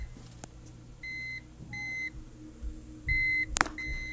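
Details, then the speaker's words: Thrift-store UPS modified with a 7 Ah battery, powering a low-load server, mains unplugged to simulate outage: short high-pitched beeps, about four in four seconds, over a quiet hum; on-battery warning beep. "might be able to hear there's a little beeping in there the drawers still low so that simulates if we lost power there"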